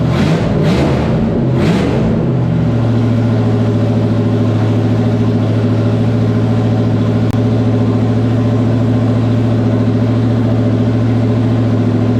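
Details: No. 94 Terry Labonte Oldsmobile race car V8, after replacing bad spark plugs and plug wires (arcing wire, near-zero plug gap): a few sharp blips, then deep even lumpy idle, no misses or stumbles; running smooth and strong.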